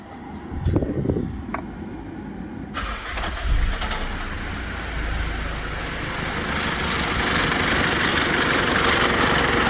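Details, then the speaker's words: 2008 Mitsubishi Pajero Full 3.2 diesel, cold start: light, uneven rubbing rattle over diesel clatter at idle from the timing chain; chain kit to be replaced. "pessoal como vocês podem ver aí ela tá fazendo barulho aí na corrente vê que não é um barulho contínuo é um barulho da corrente roçando né ela passa roça para roça tá vendo"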